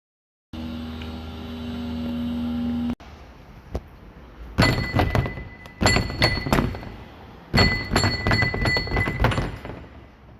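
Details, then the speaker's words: Audi Q3 engine noise after a service at Audi: irregular metallic clunks and rattles in bursts while running, caused by a Volkswagen oil filter wrench left loose in the engine bay. "qu'est-ce qu'on voit une clé à filtre elle vient d'ù de chez Volkswagen ben bravo"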